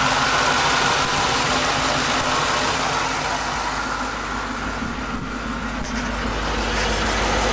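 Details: 2002 Mustang GT 4.6 V8, second engine with 10,000 miles, UPR X-pipe and Roush side exhaust, idling: a steady ticking rattle about three times a second from underneath the car; source unidentified.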